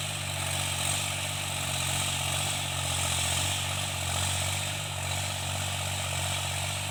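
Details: Tractor diesel cultivating after an engine-knocking repair: steady, even drone with a deep, smooth low note and no knocking, running normally and healthy under working load.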